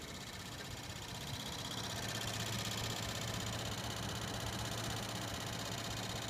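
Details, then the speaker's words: Tesla with climate control on: steady light clicking about four a second over the blower hiss; owner suspects the fan, source not confirmed. "Alright, so my Tesla is making a clicking noise."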